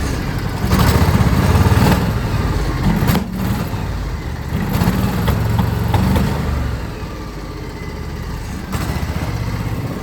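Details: 2006 John Deere X720 V-twin, 722 hours, missing on the right cylinder after about an hour of hard mowing (pulling its plug wire changes nothing). Uneven beat that surges and sags; persists after plug, coil and injector swaps. Cause unknown.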